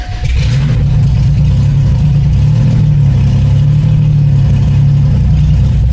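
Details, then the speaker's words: 1994 Cavalier 5-speed, built 3400 V6 with strip cam, first start with open exhaust dumping to the ground and no O2 sensor fitted yet: catches quickly into a loud deep steady drone, no knocks; runs clean. "Starts up real nice though, and I don't even have an oxygen sensor hooked up yet, because I need to weld it on the downpipe. Because we're just dumping to the ground."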